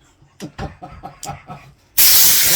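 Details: Air blow gun on a new Harbor Freight air compressor, blowing sawdust: a few soft taps, then a sudden loud steady hiss of air from the nozzle. Normal blow gun operation.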